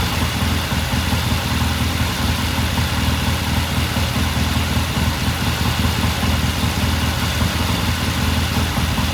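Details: 1969 Triumph TR6 vintage British motorcycle, pilot jet cleaned and pilot air screw turned in half a turn for a richer starting circuit; warmed up after a cold start, an even settled idle with a steady low thrum, no skips or rattles: normal warm idle.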